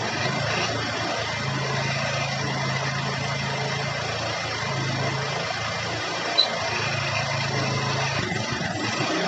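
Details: Honda Beat scooter after repair of clattering pulley shaft and rear drive noise; steady smooth engine hum at even pitch, no rattle or clatter from the drive: runs cleanly.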